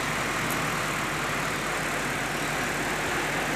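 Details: Electrolux 12 kg twin-tub washing machine whose spin-dryer only hummed; the spin motor runs with a smooth, even whir at one steady level and no buzzing stall, so it is working normally.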